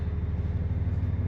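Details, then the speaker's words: Nordhavn 55 main diesel engine, just warming up, after the dry-stack muffler was repaired: steady low throb with an even pulse and no knocks or misses; running normally. "But right now, everything's running just hunky dory."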